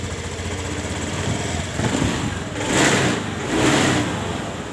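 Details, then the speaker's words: Honda Scoopy with unstable idle and stumbling on throttle from low fuel pump pressure, after a workaround to raise pressure: steady even idle, then two quick throttle blips rising cleanly and dropping back; crisp response, running healthy. "Coba kita hidupkan jadi setelah kita mengakali dari tekanan retaknya tadi selang gas atau tuas gasnya di gas langsung enak ya teman-teman langsung respon tidak ada jeda seperti tadi perhatikan kita dengarkan"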